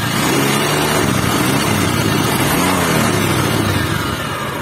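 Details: Honda Vario 150 scooter engine revving with a rough, grainy hiss like a cobra over the exhaust note; the owner also reported the oil running low within two weeks.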